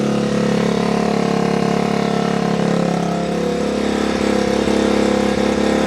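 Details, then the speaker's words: Restored Honda XR75, sat about five years and wouldn't start, just started after two kicks; small single-cylinder thumps at a steady even idle, no misses, knocks or rattles. Normal idle. "All right. That sounds so good. Listen to it. Hey, childhood memories. Just like a wet fart after a can of baked beans."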